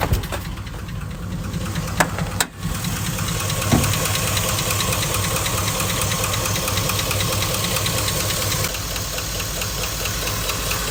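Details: 2005 Chevy Silverado V8 at idle: steady, fairly quick ticking knock over low engine rumble; owner unsure whether knock, lifter tick or piston slap.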